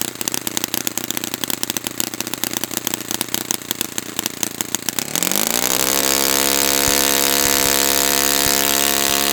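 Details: Brand-new Saito FA-100T twin on a test stand, first break-in run with glow igniters after choke priming: rapid clicking, then a catch and steady high buzz that climbs and holds; smooth, slightly rich, oily exhaust, not lean.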